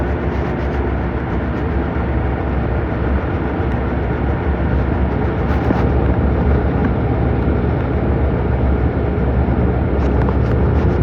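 A heavy, steady low rumble with irregular thumps and knocks throughout; the washer is shaking hard, cause not evident.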